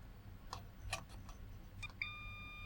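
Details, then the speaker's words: Multimeter continuity check of PCB fuses on Giatsu 3DDC mini split air con board (error F4): light probe clicks then steady high beep from two seconds; fuses okay, intact. "that one's okay that one's okay"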